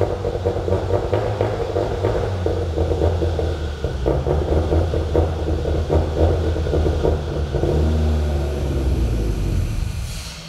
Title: mr2 first idle with exhaust, untuned and with vacuum leak